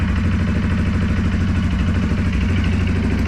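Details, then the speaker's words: 2023 Segway Snarler AT 5L ATV just started, compared with a 2023 CFMoto X5 520 L: deep, even low-pitched idle with a steady rapid beat and no knocks or misses, sounding slightly louder; normal idle. "okay let's start the seg way sound absolutely the same this sound a b louder I don't know what hard to"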